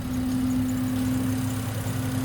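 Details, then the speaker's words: BMW with engine swap and a slowly failing high-pressure fuel pump: even, steady smooth idle with no knocks or stumbles; normal idle. "See that? Good, clean idle, man. That's all I'm worried about."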